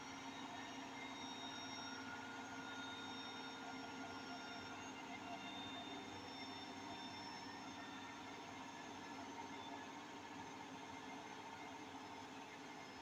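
A steady, loud rushing roar with a faint rhythmic beat at top spin; the drum bearings may be worn, but that is unconfirmed.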